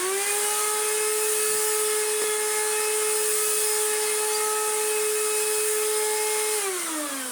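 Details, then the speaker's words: Restored Electrolux Z1910 Self Propelled vacuum: loud steady high whine at one pitch, then sliding down as it switches off; motor sounds harsh and is said to be screwed, self-propel drive also not working properly. "Even if this was working fine, motor's still screwed."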